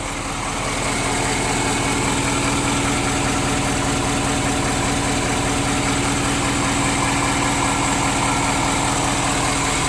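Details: 2017 Ford F250 Power Stroke diesel, warmed up: idle with a soft, fairly regular knock about two and a half per second, less obvious once warm and easy to miss under the clatter.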